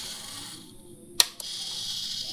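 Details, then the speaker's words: Matsunaga 1000 Watt voltage stabilizer opened up, output measured at 227–228 V: faint high hum, then one sharp click at shutdown and a lighter tick; the cut-off switch trips properly after its adjusting bolt was loosened and set. "Nah itu bisa kedengeran kan cetaknya itu. Ya kita deketin ke kamera. Kita matikan."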